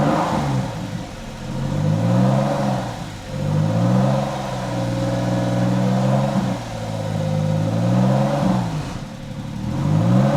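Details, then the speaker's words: Freshly rebuilt 3.8L Porsche 911 flat-six on its first run after install, revved repeatedly to warm up at 5 bar oil pressure; smooth, even rises and falls on each blip. Normal warm-up revving. "so I'm just trying to like keep the revs up and to get this thing hot we got to go check on in a second here good news is we are at Five Bar of oil pressure man this thing sounds good"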